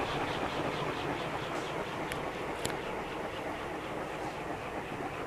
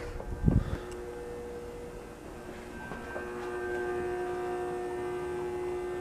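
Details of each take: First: Safer-made Airmaster industrial ceiling fan with steel blades, revived with a new capacitor after stiff, seizing bearings and a blown capacitor. Spin-down after a steady 0.7 A on high. The soft, even whoosh slowly fades with no scraping or ticking. Normal long, free coast-down. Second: Safer-made Airmaster industrial ceiling fan, revived after stiff bearings and a blown capacitor, on low through a solid-state speed control. Faint hum with a clear fixed-pitch buzz over it. Loud winding buzz from the solid-state control; varnishing the windings is suggested as the fix.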